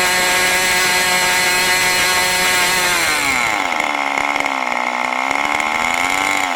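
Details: New OS 40 FSR model engine, second tank during break-in: a steady screaming high pitch for about three seconds, then it drops and wavers lower. It ran at higher rpm than wanted, and the needle is not yet set.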